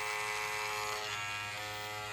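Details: Electric hair clipper after lubrication runs with a steady, even buzz, no rattle or chattering; lubricating the blade reduced the noise, part of a blade change for a clipper chewing hair.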